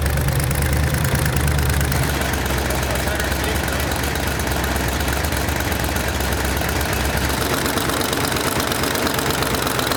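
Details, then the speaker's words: Rebuilt Ford 351 Cleveland V8 from a barn-find 1972 De Tomaso Pantera, first run and warmed up: idle with a sharp ticking puff about three per second following engine speed; exhaust header gaskets leaking (cheap gaskets from the engine kit). "we got the engine running got it warmed up real good and if you could hear it you could hear the headers leaking and I purposly used the cheap header gaskets that came in the engine kit"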